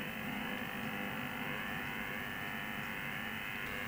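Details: Amateur HF receiver tuned to the 60 m (5 MHz) band: steady rough hiss and whir with no signal underneath, strong local interference noise that is worsening across HF; source unknown, power supplies suspected.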